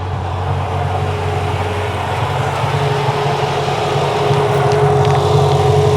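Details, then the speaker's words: Mercedes E55 V8 idling nicely: loud, raspy low rumble growing slightly louder, from an exhaust leak. "and uh yeah it's idling nicely right now it's got an exhaust leak let's go take a listen here"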